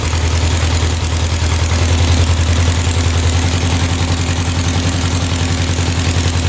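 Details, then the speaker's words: 1967 Volkswagen dune buggy flat-four after fitting four new spark plugs: low lumpy idle, uneven chuffing, still very smoky and dripping oil; owner suspects a low-compression cylinder not firing properly. "This one's really smoky yet. Dripping oil. All right, we're gonna do a compression check. I have a feeling one of these cylinders is a little bit low and maybe not firing the way it is supposed to be firing."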